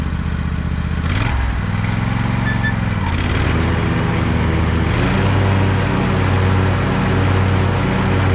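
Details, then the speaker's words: Husqvarna riding mower after repair (rebuilt deck, replaced transmission idler pulley), test run: steady, even V-twin drone with a smooth, quiet deck whir and no knocks or rattles; normal running. "everything works all the safeties are hooked up I mean it runs incredibly smooth this Mission super quiet deck is super smooth"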